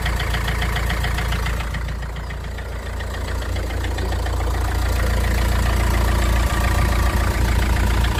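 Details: Vauxhall Vivaro 1.9 diesel at cold idle. A steady knock about three and a half times per second over a low rumble; the source is unclear.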